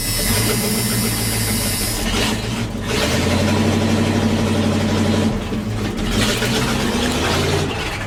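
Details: K30 fire truck, hot engine, start with no mufflers fitted, before mufflers installed: loud raw rasping open exhaust barking harder on each rev, rough idle; new tires, coil recently fixed.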